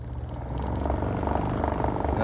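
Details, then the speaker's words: Desk fan with a damaged, chewed-up blade builds to a heavy, throbbing low hum with buzzy table rattle on top speed, vibrating the whole table: blade imbalance, blade to be replaced. "making the entire table vibrate. Probably the camera is also shaking as well."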